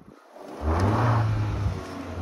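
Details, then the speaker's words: Hyundai Solaris fitted with a Kia Ceed GDI variable-geometry intake manifold, after the intake flap knock was fixed by software tuning: quiet start and smooth revving with no knocking or rattling; normal. "То есть я надеюсь было слышно что вообще ничего не слышно"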